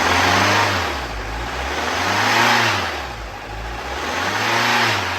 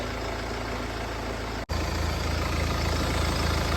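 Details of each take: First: Mercedes-Benz E250 engine revved up and down, with a rough, hunting note and knocking under the revs. A seized piston is suspected, so the engine is being pulled. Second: Mercedes E250 after engine repair: steady, even idle with a smooth low hum, the earlier knocking gone and no misfire.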